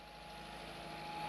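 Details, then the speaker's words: 1980 Volkswagen Rabbit junkyard car with CIS fuel injection, injectors cleaned and timing set, running off its own tank after fuel pressurized: first start, quiet even idle with steady low hum, no misses or knocks; normal idle. "let it pressurize and crank it starts right up to that"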